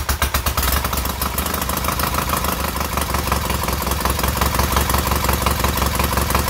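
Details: Newly rebuilt K750 twin engine idling after ignition fault fixed; steady even thumping idle, both cylinders firing in turn at about three beats a second, no misses.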